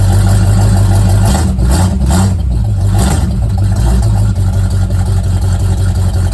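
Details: Old Mustang project car, recently revived after 42 years, cold start: a deep, lumpy V8 burble settles into an uneven but steady cold idle with a rev or two, running healthy.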